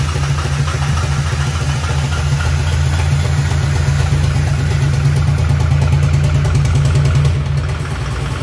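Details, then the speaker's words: Fully built twin-turbo 1,000hp Duramax diesel at its first start: heavy idle with a lumpy, uneven chop and dropping cylinders, seriously wrong; several cylinders dead because the firing order is wrong. "this thing should not sound like this this sounds something is seriously goofed up"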